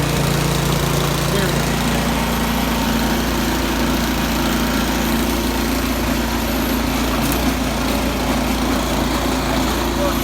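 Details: 22-inch Yard Machines snow blower after cleaning a carburetor gummed by gas left two years, choke off on a test run: steady small-engine drone holding an even note without surging or dying; running normally.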